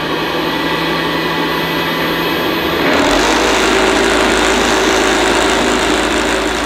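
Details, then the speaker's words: 1975 Hoover U4034 Ranger Senior vacuum, first switch-on after purchase: harsh uneven rattle over a high whir; owner suspects much of the rattling comes from the agitator brush roll. "plugged in and working well yes I suppose it does sort of work but that sounds absolutely appalling I think though a lot of that rattling could be the agitator"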